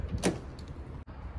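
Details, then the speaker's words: BMW Z3 central locking after being fixed: key turned in the trunk lock gives a quick electric whirr and crisp thunk as both door locks actuate together; working normally. "my power locks do work now I'm plugging I'm putting it into the trunk and both of the doors just opened up as shown right there"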